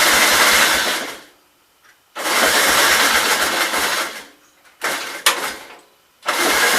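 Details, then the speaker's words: 1944 L tractor, obtained for free, on its first start attempt with the choke on and fuel turned on: three cranking bursts, turning evenly but never firing; likely no fuel reaching the carburettor bowl. "I would say we got no fuel. Like I said, I didn't check anything. It may not even be getting fuel down to the bowl."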